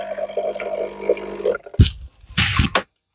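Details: Nescafé Dolce Gusto coffee maker after fixing the blocked pump that had stopped water flow: steady pump hum for about 1.5 s, then sputtering gurgles and hissing bursts as the water runs out, a normal brew cycle.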